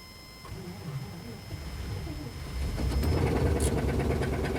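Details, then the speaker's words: 1997 Chevy K2500 service truck, Vortec 350 (5.7) V8, about 220,000 miles, sat for months: brief crank then rough uneven idle with loose clattering underneath; sounds bad internally, engine being pulled, cause unconfirmed. "oh that sounds bad all right it's running let's go ahead and get this thing inside before she blows up"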